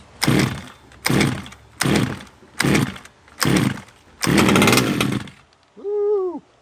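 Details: Redcat Rampage XT monster truck small two-stroke after a new carb, spark plug and power switch; crisp throttle blips about once a second, catching cleanly each time; running normally.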